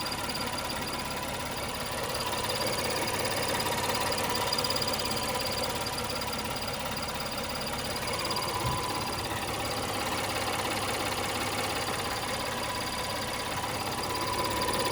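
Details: 2017 Acura MDX SH-AWD, 80K miles: steady bell-like ringing whine near brake fluid reservoir behind intake manifold, louder at idle and only in Drive; owner wonders timing belt, tensioner or transmission; cause suspected, not confirmed.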